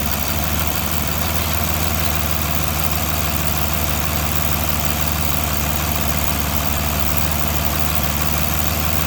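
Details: 2009 Aston Martin DB9 V12 at idle: loud, irregular ticking with a stumbling beat from sparks arcing on the right-hand inlet manifold, with a misfire on cylinder 6 at each tick; it stops at 900-1000 rpm and was fixed by replacing the #6 ignition coil.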